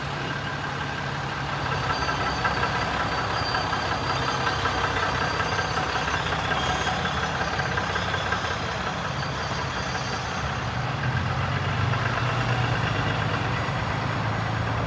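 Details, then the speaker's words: Cummins diesel work truck after exhaust manifold replacement: steady even diesel clatter at idle, no whistle rising over it as before the repair; normal idle. "No more whistle noise. Well, I would sure hope not after that, how bad that manifold was."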